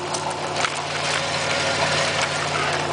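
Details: 1997 Pontiac Firebird 3.8L idling evenly with a light, fast tick running through it, steady with no rev change; top-end ticking, source undetermined.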